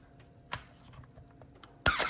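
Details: 1985 Canon AE-1 Program shutter release before oiling: a small click, then a harsh release with a brief high squeal from a dry mirror-box gear. A drop of Aerokroil on that gear cured it.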